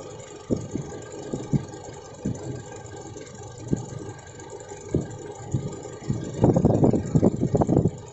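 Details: Toyota Innova with 1TR engine idling with irregular thumps and stumbles breaking the rhythm, typical of a misfire; cause suspected, not confirmed.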